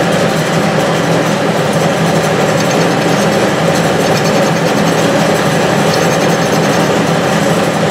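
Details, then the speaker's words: Restored Clausing 6930 metal lathe, newly fitted with a VFD, taking its first facing cut on power feed: steady cutting hiss over a smooth gear whir, no chatter or knock; cuts cleanly with hardly any vibration. "so let's do a facing cut I got one set up let's see here use the feed on that let's see if we're going in the right direction"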